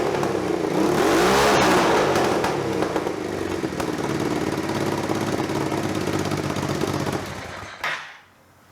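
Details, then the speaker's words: Overrun exhaust popping, sharp cracks as revs fall, on a budget scrambler build after the exhaust was repacked with wadding; quieter at 95–97 dB but pops still hit 115 dB; owner guesses back pressure, exhaust currently leaking. "when it pops it's still hitting 115 isn't it what is making it pop back pressure i'm guessing"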